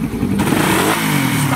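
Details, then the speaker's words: Motorcycle engine after repair, previously very noisy: revs up smoothly with even exhaust note, now quiet with no knocking or rattling. "Iban para ito yung sinasabi ko kaninang mawawasak na ang makina pero ngayon tahimik na ulit ang"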